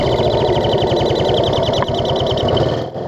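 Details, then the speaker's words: Barn-find Honda CL350, carbs cleaned, on a 300-mile off-road ride: rough, fast-pulsing engine beat with a high chirp on each pulse from an intake air leak. "the CL even ended up on side a few times and a few of those times it stayed running while on side intake leak still chirping"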